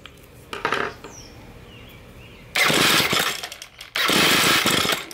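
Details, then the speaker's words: Ryobi ES30 two-stroke string trimmer with diaphragm carburetor, after GumBuster cleaning, idle screw unscrewed fully: two short ragged sputtering bursts that die away, won't start because the mixture is too rich. "if this is the case the engine cannot start that means that the mixture is too rich and we're putting too much fuel and we're pushing the engine to try to burn that very rich fuel and he struggles to do that"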